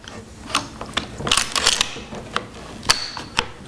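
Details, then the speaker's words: Mosin Nagant rifle with a snap cap chambered, checked for sticky clunky bolt: sharp metallic clicks and a clean snick as the bolt closes, camming and locking without grinding or hesitation. "and lock her up and you feel that it comes right back to the camming spot and there it is"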